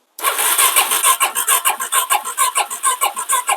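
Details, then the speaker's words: 2017 Suzuki DR-Z400S stored with fuel left in the carb; no fuel comes from the float bowl drain. Steady starter cranking with no firing. Suspected stuck, gummed float valve or blocked bowl drain, or both. Crank, no start. "yeah she's got nothing all right most likely either the the float valve is stuck closed because it's all gummed up or that drain is at the bottom of the float bowl completely blocked up as well"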